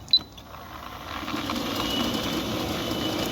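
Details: 9-year-old Centurion D5 Evo sliding gate motor with a reported strange noise, running in one direction: a click then a smooth whirr that builds and holds evenly with no knocks or grinding; normal this way.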